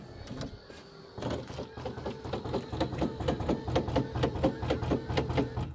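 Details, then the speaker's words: C4 Corvette pop-up headlight motor retracting the lights, small electric motor whirring with a regular gritty click about twice a second; owner believes the gears are worn and plans to replace them with bronze gears this winter. "can see that I am the victim of the worn out or rapidly wearing out gears in the for the headlight motor so I will have to do that"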